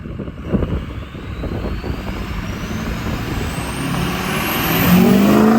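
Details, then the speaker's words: 2006 Ford F-350 6.0 diesel after up-pipe install and turbo rebuild with a 10-blade replacing the 13-blade, pulling away: clean turbo whistle climbs steadily over diesel rumble, noticeably different, pretty loud; normal turbo spool. "I don't know if you can really hear that inside here. It is pretty loud, but we'll do an outside shot."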